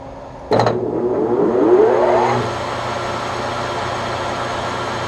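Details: Webb Whacheon lathe on a phase converter at the 710 rpm setting: motor kicks in with a rising whine spinning up over two seconds, then settles to a steady even hum; healthy start, no converter trip.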